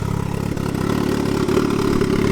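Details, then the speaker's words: Crosskart with 300 hp turbocharged Hayabusa engine: lumpy, uneven, stumbling idle; runs poorly, and the owner suspects the different fuel pump. "it doesn't run really well it's not like our pipe where we have run spots more bitter and only different is that fuel pump"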